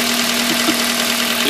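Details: 2004 Toyota Corolla 1.8 1ZZ-FE at about 110,000 miles idling with steady hum, heavy hiss and a few dull knocks; injector pulled to test cylinder; worn connecting rod bearings causing rod knock.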